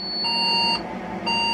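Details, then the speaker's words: Old secondhand Saturn server tower at power-on: shrill high beeps about once a second, each roughly half a second long, from the motherboard PCB speaker; owner suspects a RAM beep code, alongside a rattling fan. "that seems to stop the uh whiny alarm it doesn't stop the uh pcb speaker alarm"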